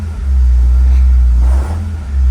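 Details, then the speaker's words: BMW 330ci running, mic near transmission area: heavy deep knocking rumble with clutch in or out, owner suspects bell housing/clutch area. "that is not good doesn't quite matter if clutches in or out clutches in right now still kind of doing it"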